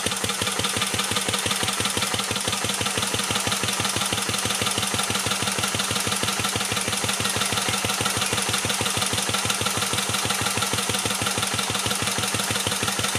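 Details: 1949 Petter A1 air-cooled single-cylinder stationary engine driving a homemade generator: a slow, steady thump about three beats a second under a clattery top end; even beat, normal running.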